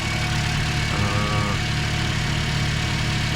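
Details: 2010 Toyota Corolla after replacing a defective fuel pump that caused a crank no-start: smooth steady idle with constant low hum, no misfires or surging; normal idle.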